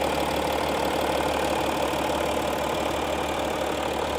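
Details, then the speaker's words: 2015 Audi SQ5 3.0 TDI Quattro diesel, well maintained by the previous owner: even, steady idle clatter heard with the hood open, no knocks or misses. Very stable, no weird sound, no leaks. Normal diesel idle. "Let's listen to the engine sounds. Very stable."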